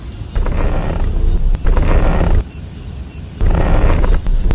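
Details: Car steering: low, rough groan rises and falls in long bursts each time the steering wheel is turned; described as a cheap fix.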